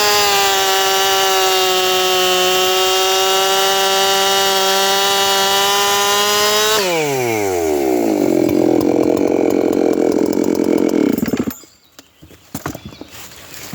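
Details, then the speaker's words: 7310 chainsaw test-cutting a small log with little bar in the wood: screams at a high, steady pitch, then drops and roughens as it bites; the light cut load lets it over-rev. "It'll probably scream even harder on that one, because there's less bar in the wood."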